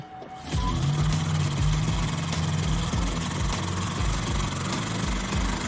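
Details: 1969 Ford Mustang, 302 V8, revived after 27 years off the road, flogged hard in donuts around a lumber-yard course: loud V8 with uneven, lumpy firing and a strained tone at full throttle; running rough, cause not confirmed.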